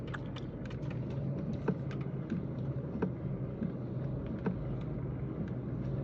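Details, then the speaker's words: Kia Rio 3 driving: sharp light irregular clicks, several a second, from under the steering wheel over road rumble; clicking disappears when the steering column is raised; cause unknown. "вопрос к знатокам машина Kia Rio 3 посторонние щелчок идет из-под руля"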